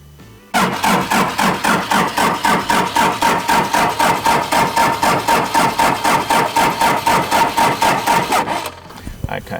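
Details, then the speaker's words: Diesel Daihatsu Scat 4x4 barn find after 15 years: steady even cranking about four compressions a second, never fires; injection pump not going into excess fuel, suspected stuck fuel rack; no fuel delivery, cranks but won't start. "it looks like the fuel pump's not going into excess fuel which is like a choke for a diesel and so we're going to have to work out whether the fuel rack is stuck in the pump or what's going on"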